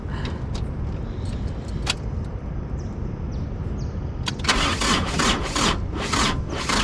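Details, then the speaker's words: Mitsubishi Pajero motorhome, battery measured around 11.2–12 V: starter drags the engine slowly, about twice a second, without firing; weak battery lacks cranking power. "sem geladeira ainda vai virar não tem força só tá em 12 lá atrás"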